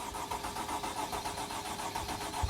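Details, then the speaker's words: 2008 Freightliner Sprinter 3.0 L with code P0335: steady rhythmic starter cranking, engine never catches, no crank sensor square wave on lab scope though supply and ground are good; crank no start. "so as you guys can hear i'm cranking the engine but there is no square wave on the lab scope"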